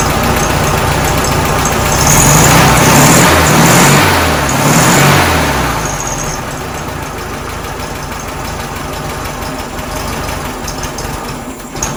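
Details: 1967 VW Karmann Ghia air-cooled flat-four, first idle after sitting since 1975: slightly uneven loping idle with a brief rev; rough idle, timing needs adjusting, likely needs new points and belt, fuel pump to sort, leak present.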